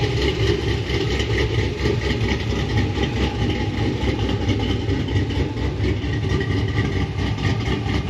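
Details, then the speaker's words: 6.0 Chevrolet Silverado SS V8 after a Brian Tooley Stage 4 cam swap, started the next day with the tune figured out: deep, choppy, loping idle at about four even pulses a second with no misses; normal cammed idle. "damn that sounds good huh it feels a lot better too"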